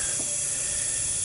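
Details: 2001 Honda Recon 250 ATV with low compression, leak-down test feeding air through the spark plug hole, valves closed: steady airy hiss; first suspected head gasket, then found rust-pitted bore and worn, seized piston rings.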